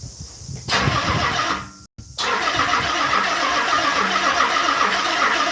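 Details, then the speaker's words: Car being started for the first time in a 3-year build: slow, dragging crank that labors to turn the engine over, a few heavy turns a second. The battery is weak despite charging. "Battery comes pretty low. Even though I fully start the battery up now. That battery is pretty crap."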